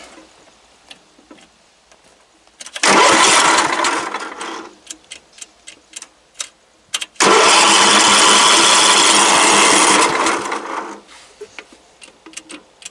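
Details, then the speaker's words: Craftsman LT 1000 riding mower with almost no gas in the tank: two cranking bursts of about two and four seconds, never fires; cranks but won't start, low fuel. "So let's go ahead and ain't really got no gas in it. Let's see if it's got enough to crank it and move it to the shop."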